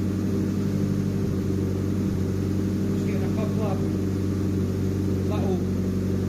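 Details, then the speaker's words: JDM Nissan Pulsar GTiR: steady lumpy idle with a couple of sharp spits, intermittent misfire-like spitting; occasional smoke rings from exhaust, owner unsure if small exhaust leaks or excess fuel, cause unclear. "there's a couple of spits happening here"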